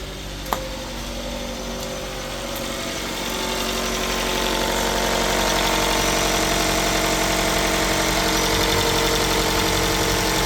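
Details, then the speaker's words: 2015 Chrysler 200 started after sitting over a year (parked for suspected parasitic draw or starter issue): just after start-up the idle is uneven and lumpy, then rises and smooths out; rough idle probably from old gas. "Starting to smooth out. Probably some old gas. Yeah. That's probably why it's being a little funky."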